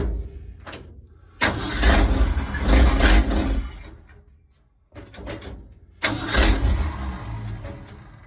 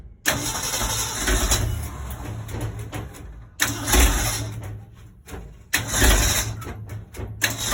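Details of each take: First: 1965 Ford Econoline 100 pickup, sat for years, cold day, after fixing swapped number 1 and 2 plug wires on the cap: catches after short crank, steady even low rumble, restarts cleanly; sounds healthy. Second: 1965 Ford Econoline 100 pickup, long sitting and previously tinkered with: repeated cranking that catches raggedly and dies, uneven lumpy firing; number 1 and 2 plug wires were swapped on the distributor cap, giving wrong firing order.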